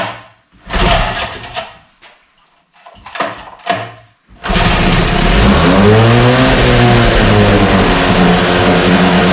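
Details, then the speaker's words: 1968 Evinrude Fastwin outboard in a test tank, choked, Sea Foam mixed in the fuel; a few rasping pulls, then it catches and runs with a steady buzz and slight speed wander, no cold-start cough; normal running. "every time we start it up and running it runs a little better i do have some uh seat balls mixed in this particular fuel tank and it just keeps cleaning things out this one doesn't even have a cold start cough to it or anything"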